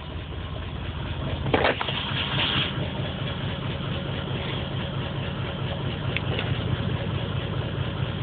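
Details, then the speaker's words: Engine on stock ECU via patch harness, fresh plugs replacing black fuel-soaked ones, P0300 and pending P0300, check engine light flashing: lumpy idle with irregular stumbles; random misfire, cause unconfirmed. "so i got the po300 and the pending po300 so that's the misfire code so it's both misfires but it's not it's not saying what song it's misfiring at just telling me it has a misfire"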